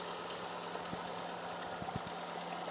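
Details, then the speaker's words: Ford Focus, high mileage, warm steady idle with low even hum and odd faint tick; no knock or lifter noise, no tailpipe smoke, idles down fine though idles high on startup; engine sounds healthy. "Overall, don't hear any engine knock, don't hear any lifter noise. Just sounds good. Idles right down, no issues."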